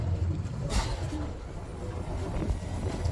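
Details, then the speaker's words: Mercury JPO power steering on Boston Whaler 330, port motor showing steering code, both engines running with pump signal drivers swapped: steady low electric-pump hum, no whine, knock or surging; pumps operating normally. "okay we can hear the pumps running now you can hear it"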